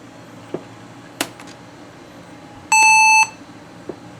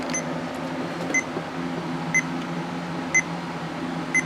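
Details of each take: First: Laptop with 256 MB RAM, previously thought to have a motherboard fault, giving a single clean high beep about half a second long at power-up; a normal POST. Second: Laptop repeating a single short high beep about once a second over a quiet fan hum, not posting at all after a hard drive change; it also blue screened with an unmountable boot volume, and the owner suspects a bad motherboard.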